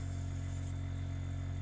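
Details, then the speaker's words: Ultra-Vac vacuum pump with tip cleaning wax from an older CIC hearing aid vent; steady low hum, constant even drone, no knocks or rattles, pump running normally. "put the vacuum on there. You can hear the vacuum pump there. Just check he's working, and then we go to work just cleaning out any wax or detritus that's found its way inside."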